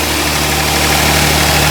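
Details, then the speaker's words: Kia Stinger GTS 3.3 twin-turbo V6, 66,000 miles, with stock air intake boxes before an HPS cold air intake install: smooth, even idle rumble with steady hiss, no knocks or misses. "That's how it sounds with the stock."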